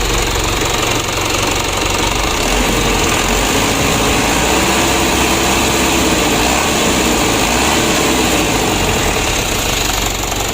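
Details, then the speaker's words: Mitsubishi Canter diesel after injection pump service and plunger replacement, previously hard-starting and wouldn't rev; starter not yet serviced: steady, even diesel clatter at idle, no misses or surging; normal idle, now starts easily. "kita coba lagi oleh baterai contoh hidupnya sudah mudah teman-teman Toyota ke-10"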